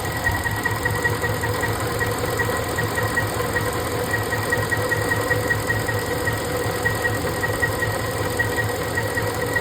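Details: Ford 5.4 3V V8 misfiring at idle before the cylinder 7 injector was unplugged and rotated: uneven idle with a repeating stumble and light tapping two or three times a second, pointing to a misfiring cylinder; cause suspected, not confirmed.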